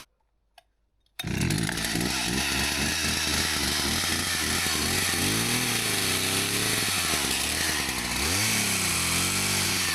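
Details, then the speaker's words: Husqvarna 162 chainsaw, about 50 years old, repaired after not running, cutting firewood: strong clean high buzz, pitch dipping briefly as it bites the wood; running perfectly with plenty of power; normal running under load. "Well, that's running perfectly now. Nothing wrong with that at all. It's got plenty of power."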